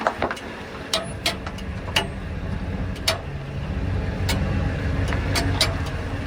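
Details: Ford E350 van driving: sharp, uneven clanks and creaks about once a second from the rear suspension; greased leaf friction pads didn't stop it; owner suspects new add-a-leaf tab rubbing the leaf below, unconfirmed.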